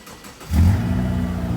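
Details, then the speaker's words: 2002 Subaru Impreza non-turbo on jack stands: engine catches and settles into a loud, raw, deep drone; exhaust has fallen off, no muffler, but runs pretty good. "uh the exhaust has fallen off uh so it doesn't have a muffler but it does run pretty good"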